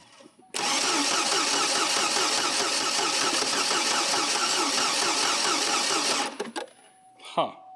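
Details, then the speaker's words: Farm engine under throttle that won't pull: it catches and runs with an uneven, lumpy beat, then dies. The owner suspects timing, thinking it is retarded rather than advanced because there is no pinging. "et il ne tirera pas, donne-lui un peu d' accélérateur, garçon, ça ressemble à un timing comme si c'était soit c'est vraiment [ __ ] soit je veux dire, ce n'est pas avancé parce que ça ne fait pas de ping"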